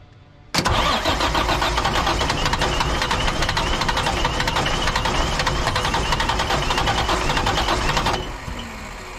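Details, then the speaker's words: Diesel dump truck that started and quickly died, cranked after hand-priming the fuel system. Long rough cranking, about eight seconds, with no clean catch; battery weakening. Owner suspects a bad lift pump. Extended cranking, engine dies. "Same thing as before, I don't understand. And it also sounds like I'm starting to wear my battery down a bit."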